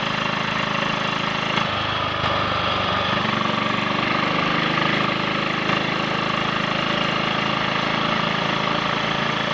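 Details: Triumph Sports Cub single-cylinder on a ride after fuel tank cleaned of fine rust and protruded-electrode spark plug fitted: runs steadily, misfiring and cutting out gone; rust particles at the main jet suspected as earlier cause.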